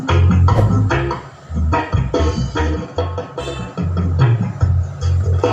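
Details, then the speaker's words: Car subwoofer amplifier that stayed distorted after an earlier shop serviced or replaced its IC and transistors, now repaired and playing music at normal volume; deep, clean, even bass pulses with no rattle, buzz or crackle; clean subwoofer output. "Sambil dengar musik kita dipasang lagi gitu lur baut-bautnya. Soalnya ini udah normal gitu lur."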